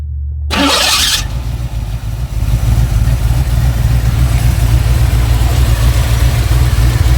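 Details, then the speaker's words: 1986 Chevy C4 Corvette TPI 350 with 700R4, fuel injection swapped for intake and Holley 650 carburetor after rusted injectors; starts after short crank, settles to smooth even idle, no misses; unadjusted, choke not hooked up, loading up a little. "Sounds pretty good, don't it? is smooth."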